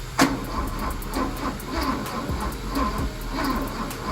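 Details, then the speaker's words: 1973 Porsche 911T sitting since 1998, on jumper cables after weak battery and charger: sluggish, uneven cranking about every half second, trying to fire but never catching; owner suspects insufficient battery power. "It was trying to fire over, but it just didn't have enough juice."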